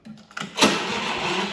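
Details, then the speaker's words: Honda electric-start lawn mower tried without the jump pack connected: a few faint clicks, then a brief strained, hissy whirr that fades without firing; the starter battery has a very low charge. "see how the battery's dead? And there you go. Starting to do that noise again because the battery has a really low charge."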